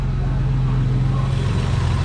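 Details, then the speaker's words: Vintage BMW E12, electric fuel pump hardwired straight to a jump box during fuel troubleshooting: constant low hum with rough buzzy edge, pressure under 30; wiring ruled out, owner suspects bad pump but unsure how it should sound. "it might actually be a bad pump uh it sounds a little noisy but i don't know how it's supposed to sound"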